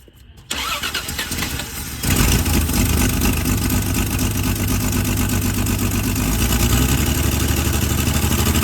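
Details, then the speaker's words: 1978 Plymouth Volare wagon that sat in a junkyard for 4 years: the starter cranks, then the engine catches with a ragged, surging low chug and sputters. The owner thinks it is running out of gas or the fuel pump is out. "or is it running out of gas I think the fuel pump's out"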